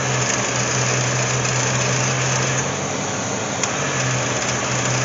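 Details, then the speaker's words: C4 Corvette during R12-to-R134a A/C recharge: even steady whoosh and low hum, no rattle; radiator fan finally switched on and pulled high-side pressure down. Fan should have come on anyway; engine not warm enough. "well the fan turned on pulling it down there we go good deal okay that's what we needed with that fan"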